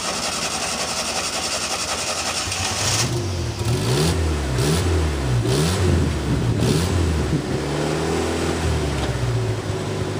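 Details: Yugo stored all year, first start during its winter refresh; air pumps not fully installed and kinks remain. Catches after a few seconds, revs blip up and down, then settles to an even idle: normal start and running.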